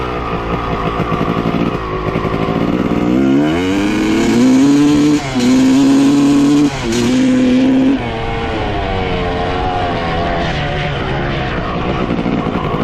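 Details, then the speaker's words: 1995 Honda CR250 two-stroke with bad bog, after swapping reeds and intake manifold: revs climb hesitantly, sagging and stumbling on each throttle opening; no change, so carb, reeds, manifold, plug, coil, power valves, air filter ruled out; piston or cylinder suspected. "well as you can hear from the video swapping the reads and the manifold made absolutely zero change so now we know that the manifold and the reads are not the problem"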